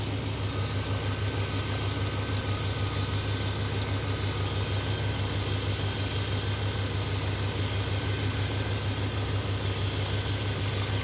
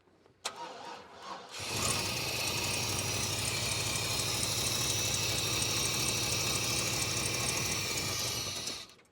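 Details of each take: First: 1995 GMC V engine after distributor replacement and ignition timing reset to 0°: steady, even low rumble, regular firing, no misses or knocks; normal clean idle after repair. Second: 1995 GMC, ignition timing not yet set: brief fumble, then loud rough rumble for about seven seconds before cutting; labored starting from incorrect ignition timing.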